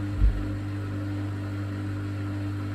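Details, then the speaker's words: Bosch WFK2801 washing machine that showed error 03, stuck full of water after a 40-degree cotton wash, now set to spin: steady low even drone with no knocking or scraping as the drum spins up; normal spin. "It seems like it's spinning up fine there. Let's see what it does. So I've set it to spin, it's spinning up fine."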